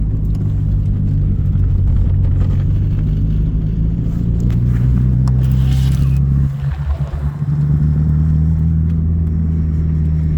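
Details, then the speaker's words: Mitsubishi 4G63 DSM car (Eclipse/Talon/Laser family) driving while data-logged, heavy uneven engine drone with stuttering and a stumble in power, car shaking and bucking from a bad misfire; it later stalled. "I mean the car is shaking pretty bad so it is misfiring right now pretty bad"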